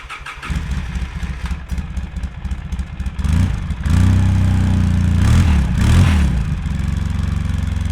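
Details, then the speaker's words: 2003 Polaris Sportsman 700 Twin ATV on stock exhaust, still warm so no choke, before Big Gun exhaust and Dynojet jet kit: starts and settles into a deep even thumping idle with a couple of blips; sounds healthy. "sounds pretty good but we can do better"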